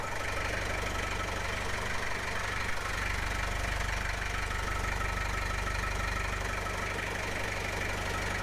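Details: 1995 Gehl 5625SX skid loader diesel, previously hard starting, after replacing the glow plug relay: steady, even diesel clatter at idle with a constant low rumble, no misses or surges; normal diesel idle.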